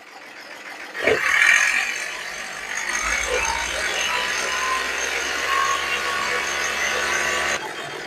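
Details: Hyundai i10 Grand engine after rebuild with turbo, freshly refitted: starts, then steady even running with no knocking or rattling, previous noise gone; healthy engine.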